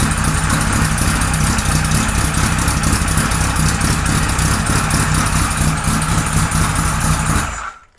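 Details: 1978 Kawasaki Z1-R with freshly installed carbs, no choke: uneven, lumpy idle with a soggy, flat exhaust beat before it dies; almost no intake vacuum, running rich from oversized jets.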